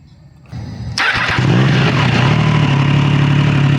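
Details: Triumph Trident 660 triple-cylinder motorcycle at cold start: a brief starter whirr, then a fast cold idle with a light metallic rattle over it; source of the rattle unclear.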